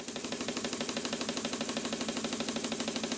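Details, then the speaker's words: Stuart model beam engine, before restoration, freshly oiled and run on compressed air. It clatters fast and evenly at about three beats a second with a rattly top end. Lots of slop in the valve gear. Finding: clattering running noise. "model beam engines should not sound like this"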